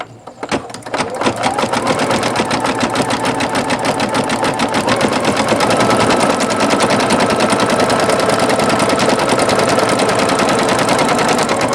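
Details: Singer Futura XL 550 after the bobbin-area rattle correction; rapid, even stitching clatter at a steady rhythm with no loose rattle or knocking from the bobbin area; normal stitching.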